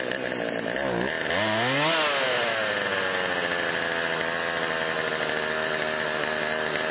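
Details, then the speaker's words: Chainsaw after Texas ice storm, refueled with chain lube added and a priming squirt into cylinder via spark plug hole: revs climb cleanly then hold steady high-pitched scream without stumbling or surging; runs healthy and strong. "i'm pretty sure this one's going to crank all right there you go all right well that's a good sign"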